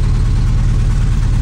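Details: 1978 AMC Hornet, rough idle: uneven, lumpy idle with shaky low pulse and missing beat, dash shaking; number five cylinder dead, confirmed by pulling its plug wire; owner also hears possible rod knock.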